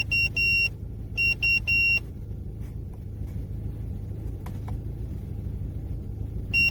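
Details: Car with 4th-generation Omega propane-butane LPG injection system: engine idling while the gas controller gives repeated high double beeps and drops to emergency mode as if no gas, though the gauge shows half a tank; won't switch to gas.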